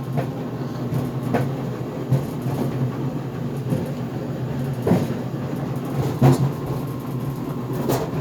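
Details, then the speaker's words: GE Profile Harmony dryer on the sneakers cycle, in cooldown after an 11-minute dry time without extended tumble: uneven heavy thumps every second or two over the steady tumbling hum, drum banging, cause unclear; the door also pops open near the cycle's end. "so this GE Profile harmony dryer is making a banging noise it is on the cooldown cycle right now because I set the drive time to 11 minutes without extended tumble"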